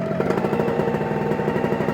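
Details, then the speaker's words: OpenPPG SP140 V2.0 paramotor during break-in on 40:1 mix, with tapping heard at idle on throttle release: a steady buzzing two-stroke note that holds even while the throttle is moved, with no surging. Normal running. "so notice see how I kind of bend the throttle I want to kind of move it around to see if I get any kind of surge"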